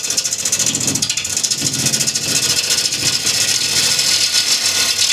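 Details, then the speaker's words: Wood lathe turning a cross-grain bowl with a bowl gouge, peeling side grain: hissing cut with a pulsing rattle, vibration from too heavy a cut; remedy is taking off less wood. "So when I hear that vibration from the top, I reduce the amount of wood I'm taking off."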